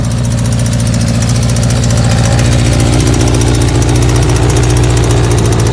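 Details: Air-cooled 1984 Kawasaki GPZ, running after a newer battery, fuel line and carburetor work, has a loud, uneven, lumpy idle with stumbling firing pulses. It shifts smoothly and the electrics work; the rough idle's cause is not found.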